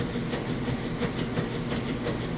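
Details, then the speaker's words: Whirlpool direct drive top-load washer, full of water with towels: steady churning agitate cycle with a soft regular kick about every third of a second as the agitator spins one direction then kicks back; normal agitation. "can hear the agitator running. It has the agitation kick, which is what I mentioned here. This only spinning one direction, then kicks back. That's what you're hearing in motion."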